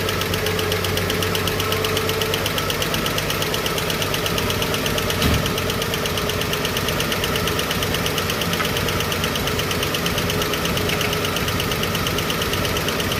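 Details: Chevrolet 235 Blue Flame sedan idling after a bad lifter was cleaned and rebuilt: a light, quick tick keeps time with engine speed. The cause is loose valve lash on one rocker not yet adjusted.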